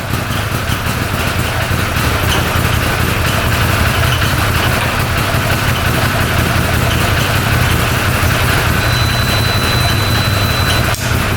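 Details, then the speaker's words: 2013 Arctic Cat Wildcat 1000cc twin UTV after fixing the intake air leak from a missing O-ring: a steady, even low idle with both cylinders firing and no hunting. It is running properly. "well I'm pretty happy with that sounding really good yep it's running on both cylinders"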